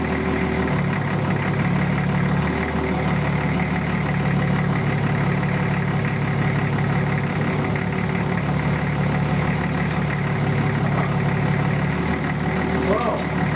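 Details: Nissan Patrol RD28 diesel idling just after first start following injector and pump install and air bleeding: steady clatter with even low rumble, no misfire or stumble; normal idle.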